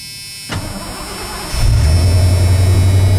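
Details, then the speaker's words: Fuel-injected old truck cold start at a little under 20 °F, pedal pumped a couple of times: brief cranking, catches within a second and settles into a smooth, steady idle with no misses or knocks; healthy cold start. "Start right up, boys and girls. Don't it just purr? Sounds absolutely great."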